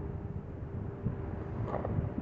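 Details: Dayton 3-speed reversible 22-inch box fan, model 4C425, with a General Electric motor, on low speed in exhaust direction. A soft, steady low hum with even airflow and no knocks or rubbing; it runs smoothly.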